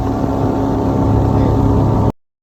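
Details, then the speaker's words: 1995 Larson 174 with 3.0 MerCruiser Alpha One Gen 2, sat 3 years, throttle pumped: fired right up; smooth, even low drone at constant speed with no misses or knocks; normal running. "Oh, let's go. It runs. Sitting for 3 years. Fired right up."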